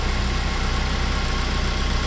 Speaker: Engine sounds good so far. Nothing seems to be smoking or anything like that.